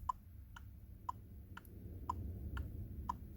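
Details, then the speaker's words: 2007 Chevy Colorado whose turn-signal tick comes from a speaker on the back of the instrument cluster; after replacing that speaker, hazard lights on give crisp, even tick-tock clicks about twice a second: normal hazard light ticking. "Now for the grand finale, I'll turn on the hazard lights."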